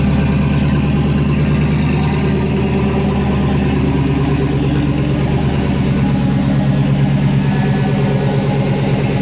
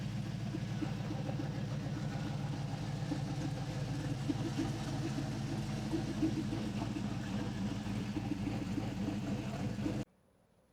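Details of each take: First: 2007 GMC Sierra Classic with freshly swapped LS V8, first start with codes present: engine holds about 2,000 rpm and never drops to idle until codes cleared. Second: 2007 GMC Sierra Classic with LS V8 swap replacing V6, after replacing faulty throttle body: smooth even V8 rumble while driving easy on a data-log run, no misses, ticks or knocks, no engine lights; running healthy.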